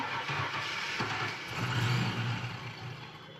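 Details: Car with weeks of electrical gremlins, after the ignition switch was plugged back in: pump prime, then the engine catches quickly and settles into a steady low rumble with a brief rev rise. A clean, healthy start, problem fixed.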